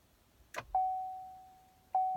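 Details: 2012 Chevy Volt after 12-volt battery replacement, brake held, power button pressed; a click then two clear mid-pitched chimes about a second apart, car shows battery dead, won't charge and never comes ready. Warning chime, no start.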